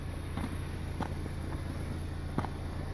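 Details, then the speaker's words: Chevrolet HHR after odds-and-ends repairs and a Dexcool top-up, exhaust now quiet: low, steady idle with a soft even exhaust note and no puffing or ticking from a leak; normal idle, exhaust sealed. "Okay, YouTube, she's sitting here idling."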